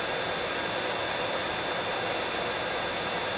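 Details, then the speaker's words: Allis-Chalmers 15 HP motor for a Sturtevant #6 blower, dried overnight to 70-80 megohms at 1000V, started on a VFD. Steady, even hum with a fixed high drive whine, no knocking, rubbing or bearing growl; runs healthy. "So here we go with a start. Sounds pretty healthy to me."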